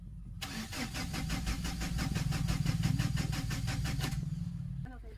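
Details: Mahindra Xylo diesel: the starter spins the engine at a steady four beats a second for about four seconds, but it never fires. Cranks but won't start; air in the fuel line is suspected, not confirmed.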